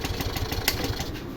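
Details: Yamaha Fascino BS6 scooter: starter cranks with even quick chugging but the engine never catches; the injector isn't firing because its signal wire is broken.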